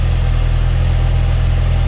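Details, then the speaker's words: 2004 Audi B6 A4 Quattro 1.8T, 6-speed manual, after installing a 034Motorsport diverter valve: a smooth, deep, even idle with no hiss, misses or ticking. No vacuum leak, so a normal idle. "All right, so no vacuum leak and the car is running good."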